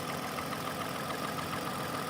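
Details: 2006 Toyota Avalon, 2GR-FE timing-chain engine, first run after fixing an incorrectly installed starter that mimicked a locked engine: smooth even idle, steady hum, faint light tick, no knocks or misses; engine healthy.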